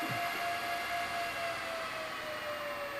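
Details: BLF188XR LDMOS amplifier with a Meanwell RSP power supply: its internal fans roar flat out at full speed like a jet engine, steady loud rushing air with a faint tone; loud cooling fans at full speed.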